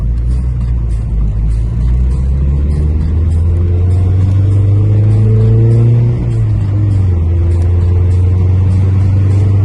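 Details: Toyota Carina, after engine overhaul and head gasket replacement, starts normally in the morning: revving up and settling with uneven knocking under the rising note, likened to a Subaru; source of the knock not yet found.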